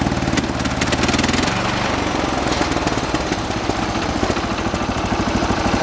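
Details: 1986 John Deere 216 16 hp single-cylinder tractor at fast idle during carburetor adjustment outside: thumping with pitch shift as it's adjusted, firing rough and uneven, mixture unsettled; rough running, shaking said normal for these engines.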